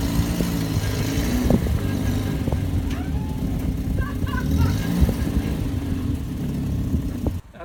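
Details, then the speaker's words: Barn-find Volvo 480ES on a replacement ECU, driving with seized, sticky front brakes: steady low drivetrain rumble, no gear whine, grinding or clutch rattle; gearbox, gears and clutch sound very good. "it's on gearbox gears clutch all sounds very good the brakes are quite seized took quite a bit of effort to make the car move"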